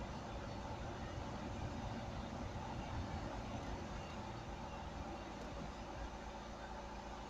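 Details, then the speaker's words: Opel Astra H 1.7 CDTI diesel, first start after turbocharger replacement (old turbo noisy above 2000 rpm and on lift-off, negative boost deviation), intercooler hoses not yet connected: steady idle with even low rumble, no scraping or whistling; turbo working. "Everything is looking good. Turbocharger is working. I can feel the air that is going through this pipe."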